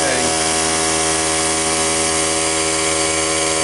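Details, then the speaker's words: Cheap portable tire-fill air compressor with its melted power switch bypassed, filling its tank (pressure builds more slowly as it rises toward shutoff): a steady, even high whir with no knocks or surging. It sounds like it always sounded. "Well, I'm not hearing anything weird. Sounds like it always sounded."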